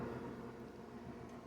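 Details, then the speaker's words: Pentair pool pump motor running normally: low, even hum while moving water, with no rubbing or stalling. A shaft-seal water leak can let the motor flange pull away, making the impeller rub, stick and trip the breaker. "i think that i want to let you know on this motor you can hear it humming over here sounds great right now moving water no problem"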